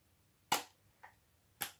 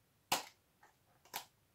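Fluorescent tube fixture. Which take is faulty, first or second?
first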